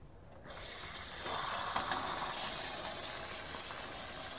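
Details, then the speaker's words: Shallow well pump, solar powered, first start after a year unused, no priming needed: quiet, then the pump starts and settles into a steady, even hiss and whirr with no knocking or grinding; tank repressurizes to about 50 psi normally. "hear that pump kick on again just to be sure nice turn off the water"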